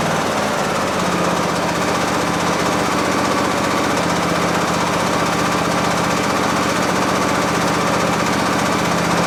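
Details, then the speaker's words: Briggs V-twin on a Husqvarna lawn tractor, after governor gear assembly replacement; it previously raced wildly regardless of throttle. Now a steady, even note with no surging and throttle control restored: normal running. "That's it. That sounds pretty good. It's a lot better. It's not racing wild as if it's going to self-destruct."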